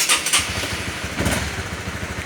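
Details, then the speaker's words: Honda New CBR150 with a WDA touch-sensor alarm: after the sensor is touched, the red and yellow indicator lights and the engine fires right up into an even, steady beat with no misses or knocks, a normal start. "Ya, ketika tersentuh indikator merah kuning menyala, motor baru bisa hidup."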